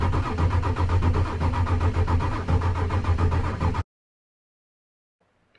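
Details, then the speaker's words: 1996 Ford F250 7.3 L Powerstroke diesel during revival, cranked with a component unplugged: the starter chugs about four even beats a second with no firing, and the RPM gauge doesn't move; a crank position sensor fault is suspected, not confirmed. "Notice how the RPM gauge isn't moving either, so that leads me to believe we might have a crank position sensor problem. Okay, so it didn't start just by unplugging that."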